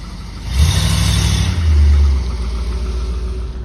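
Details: 1963 Ford Thunderbird 390 V8 after replacing a shot left manifold exhaust donut, perforated tailpipes and blown mufflers: deep smooth rumble through the revs with no ticking or puffing, no more exhaust leaks; healthy exhaust note.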